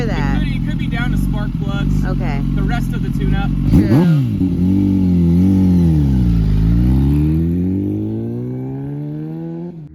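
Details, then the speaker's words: Kawasaki ZX-10 roll-race sportbike on its first test ride, quickshifter working: engine climbs hard under throttle with sharp irregular pops and spits through the exhaust; misfiring. "Right here is where I realize the ZX10 is misfiring. So, she's spitting just a little bit."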